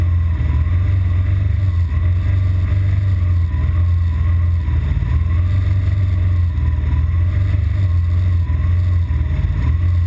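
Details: BMW R1200GS Adventure with an intermittent fault, usually after a 20-mile A-road run into traffic: a deep boxer-twin drone dips and sags briefly a couple of times as the idle struggles; cause not yet known.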